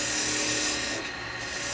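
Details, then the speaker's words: Woodturning a spalted wood vase on a lathe with carbide tools at about 2,280 rpm: smooth even hiss of the tool shaving wood, no chatter or catches; clean cut. "okay okay we've got no torn grain at all okay even on this sported wood right"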